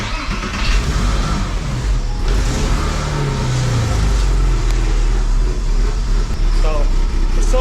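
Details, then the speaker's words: Porsche Boxster 986 with a broken intake part, temporarily clamped: heavy, uneven low rumble that lurches instead of idling steadily, with an audible air leak; runs a lot better than before the clamp but still rough, from an intake vacuum leak. "still runs really rough, but it's not in. It's a lot better. And y'all can hear the leak."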